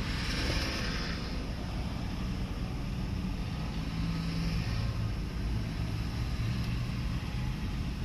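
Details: 4x4 engine after top-end and chemical internal cleaning without removing the oil pan, previously neglected oil changes, restart: steady, low, even rumble with no knocks or ticks; idling smoothly and healthy.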